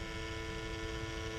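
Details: 1100 gph bilge pump in a 20-litre fill test, drawing 3 amps, filled in 22 seconds as a new pump should: steady, even motor hum, constant pitch, no rattle or surging; normal pump operation.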